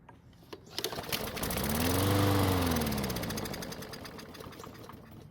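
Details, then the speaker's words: Craftsman lawn mower that ran last year but would not start after winter storage, primed by squirting fuel: fires, briefly revs, then fades and stops; suspected clogged main fuel jet in the carburettor. "luckily it started and ran for a few seconds but it didn't stay running which means more than likely the fuel jet is clogged inside the carb"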